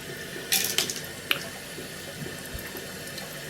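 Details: Toilet cistern inlet float valve after replacing the diaphragm washer (Siamp 34951309): steady gentle rush of water, quieter, no earlier high-pitched whistle; filling normally.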